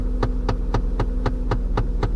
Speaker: whenever you get a popping noise like that it's usually caused by an internal fault in one of those actuators